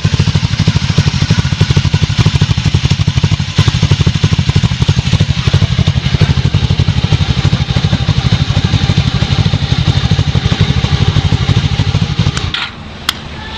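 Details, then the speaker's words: 1994 Honda Magna Cobra V4 starting cold, apparently on choke: a slow, slightly lazy burble with steady exhaust pulses; it starts fine but idles a little low when cold. Owner is chasing fuel economy issues. "So my bike does start off cold, or start up just fine cold, but it does rev a little low when I do so."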